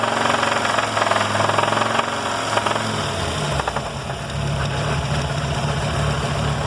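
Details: Fiat Marea 2.4 engine: rough, rapid rattling that settles into an uneven idle after the revs drop; abnormal engine noise, cause unclear.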